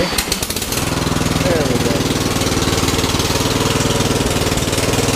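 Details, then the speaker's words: Troy-Bilt 42in mower (2008 Bronco chassis/deck, Kohler 20hp from a 2012 Bronco), first start after carb replacement, oil change and tune-up with a swapped battery: a sharp puffing tick on every firing stroke; a bad exhaust leak, to be welded. "like it's kind of a fat exhaust leak smells like a pretty bad exhaust leak"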